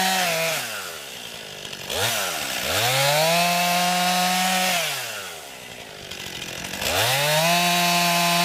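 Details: New 50cc chainsaw, about ten pounds, cutting wood from a skidded pile on a cold day: strong high-pitched scream bogs slightly into each cut and springs back cleanly between cuts. Owner finds lots of power for 50cc; normal healthy cutting.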